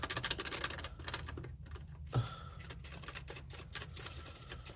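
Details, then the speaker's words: BMW E90 335i N54 6-speed, engine off, rear turbo being removed for upgrade, with an unsealed connection suspected of boost leak: loose metallic clicks and rattles as the flap is worked; worn, loose wastegate rattle. "Not completely sealed, so it was probably creating a boost leak. Well, yeah, you have to keep working at it. Hear that wastegate rattle?"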